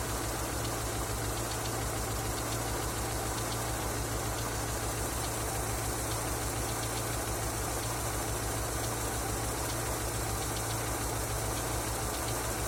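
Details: Engine knocking after an oil change: irregular knocking about once per second over a steady idle hum; knocks at idle, cause not yet found.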